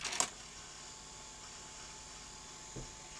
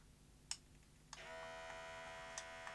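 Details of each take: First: Sanyo VTC-M40 Beta HiFi Betamax VCR under mechanical check: a click, then a faint, even high whir with no grinding. Fast-forward transport is normal; the machine's start-up fault is suspected to be power-supply capacitors. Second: Sanyo VTC-M40 Beta HiFi video recorder, unused for a long time, loading a tape. A few clicks, then a thin steady motor whir keeps running without loading finishing. The loading belt is slipping and is to be replaced.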